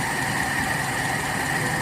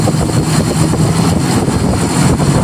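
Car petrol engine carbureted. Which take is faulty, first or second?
second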